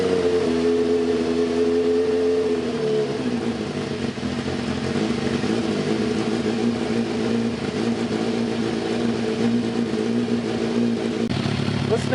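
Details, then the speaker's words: Spare Cross Kart engine that sat for years, test-run with only one mounting bolt in, choke and muffler fitted: a small single with a smooth, even drone that settles to a steady lower pitch and runs cleanly without misses. "good that thing sounds who knows how many years this engine has sat"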